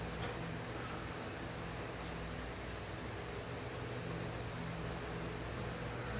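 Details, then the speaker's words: Davimport ceiling fan, first test, on low speed: a faint, steady low hum under the quiet fan noise, felt as well as heard. Owner suspects the chosen capacitor value is too low, or a loose low-speed wire; unconfirmed. "still hear it so oh you still hear it yeah you sure it's not the light I guess it wouldn't be the light would it no I feel it and it's going it's going"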